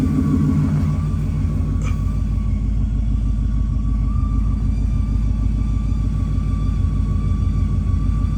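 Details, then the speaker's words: Ford Mustang Boss 302, naturally aspirated, V8 idle: steady thin whistle over deep rumble, heard by mechanic's stethoscope at driver's side bell housing; front pulleys and accessories fine; owner suspects clutch or flywheel, unconfirmed. "I am catching it uh right off the driver's side bell housing and uh it's pretty profound I can hear it pretty clear uh so you know is it clutch is it um flywheel I don't know"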